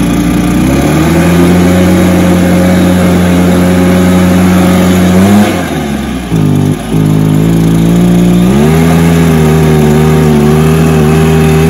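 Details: Stihl BR430 two-stroke blower, running outside after fuelling and choke start: holds strong steady high rev, dips briefly on throttle, then picks straight back up without bogging; normal running.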